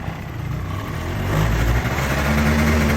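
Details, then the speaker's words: Honda Dio AF34/35 scooter started cold in late autumn with a working electric choke (enrichment valve): the two-stroke's revs climb and hold high, expected to drop and steady after about five minutes. Normal cold-start fast idle. "Чуєте, да? Набирає оберти двигун. Зараз попрацює в такому режимі десь хвилин п'ять, а потім, обороти упадуть і вирівняються."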